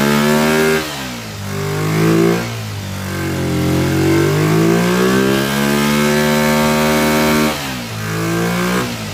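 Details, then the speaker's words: Kawasaki Ninja twin after a fuel splitter install, revving up and down with a rough edge through the blips: the inner carburetor is flooding and dripping fuel. Replacement carburetors are planned. "You can see just dumping fuel down here. It's dripping away. That's all coming from that inner carburetor."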